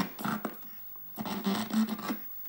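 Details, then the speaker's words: Double Dragon arcade PCB (also showing ROM 1 error): game audio cuts in and out in scratchy bursts when a capacitor in the audio/amplifier section is wiggled; suspected bad cap or solder pad, intermittent crackling audio. "audio issues are obviously related to that capacitor or its pads or somewhere in that section there, which obviously is the whole audio section because there's the amplifier and whatnot."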